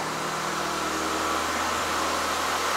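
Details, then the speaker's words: Abandoned 2006 Mitsubishi Lancer after a tune-up with new spark plugs, wires, coil packs, boots and cabin air filter: a smooth, even idle with a steady hum and no misses, ticks or stumbles; running healthy. "idling perfectly. Hey, this is a great little car. Very happy with it."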